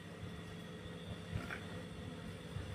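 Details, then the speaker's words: Old two-door Toshiba refrigerator, 1/6 HP compressor, running after new relay and overload replaced both failed parts: quiet, steady, smooth low hum with no clicking or knocking; amperage normal, compressor judged good. "Ya kompresornya udah bagus nih normal ampernya juga normal benar ya teman-teman ya ya Nah halus risiknya tuh ya sudah bagus sudah masuk"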